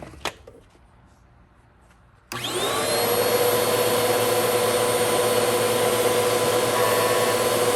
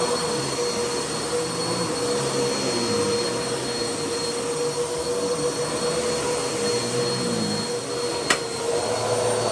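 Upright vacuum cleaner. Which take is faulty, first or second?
first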